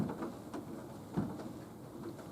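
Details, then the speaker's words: Nautilus U614/U616 exercise bike, dull irregular thump once per pedal stroke, about every half second; gets worse the longer it is pedalled, and stops under heavy foot pressure. "I'm kind of stomping my foot around in there now so you can hear it. Hear it? That's the clunking sound."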